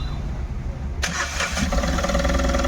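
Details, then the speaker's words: Tata Ace Gold BS-6 diesel after repairing the cut crank sensor wiring and fitting a socket: a second of cranking, then it catches at once and settles into a steady idle; crank sensor fault moves to history; normal engine start. "देख सते गाड़ी हमारी चालू हो गई है देख सकते हो"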